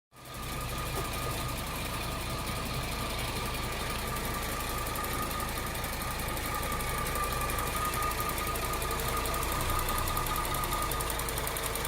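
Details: 2008 Cadillac CTS AWD after timing chain job, engine running: steady drone with an uneven tapping about four per second; abnormal noise whose source can't be pinned down by ear.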